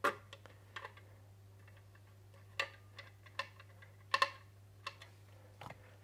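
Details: Wahoo Kickr trainer that made a strange noise, after a clean out and a spacer washer added, belt thought to have been rubbing: quiet steady flywheel hum, a few light clicks, no rubbing or grinding; runs smooth.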